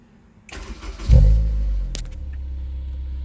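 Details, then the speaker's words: 2004 Honda S2000 at 109,757 on the odometer, catalytic converter missing with check engine light on: starter catches quickly, fires and flares, drops to smooth steady low idle, no knocks or misses; normal start. "Upon initial startup, there were no major issues."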